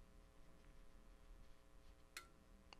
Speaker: as I tune across the band on 40 meters you'll hear some relays clicking which is the tuner changing settings as I get to different areas where it remembered different settings